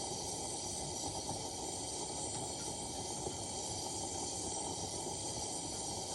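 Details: Vintage Coleman lantern being repaired/restored (1952 252 or 1950 242C), gas leak fixed, fitted with a junky size 21 mantle (owner thinks an 11 was needed); loud steady rushing fuel hiss with roaring edge, fireballing unusually long: lantern flaring, cause suspected.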